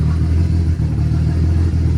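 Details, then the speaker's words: Nissan S14 RB25DET with new head, idling while warming up after coolant fill, smoke from oil on manifold and turbo burning off: deep even six-cylinder rumble at steady idle, no knocks or misses; normal idle. "so yeah I'm going to get the water filled up and let her run for a little bit sounds good got some smoke from some oil that got all over the manifold and the Turbo burning off she's warming up and drinking a little water"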